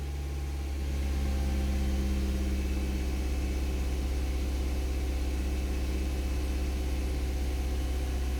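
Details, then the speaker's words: Mazda 323F started cold in neutral after refitting the air box during an idle fault hunt; steady, even idle sitting noticeably fast with no misses, a little lower than before; high cold idle. "right are you placing your bets and start the neutral it's always a good idea well it's a little bit lower"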